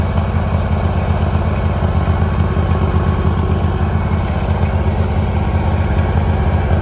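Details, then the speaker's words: 2018 Hustler Raptor SD 54-inch mower, Kawasaki FR691V V-twin, test run after head gasket and valve seal replacement, shroud off. Steady even idle with smooth low pulse, no knocks or misses; spilled oil smoking off, running better. Normal idle. "there it is going to let it Dole here a second big the smoke a little bit turn off some of that running better"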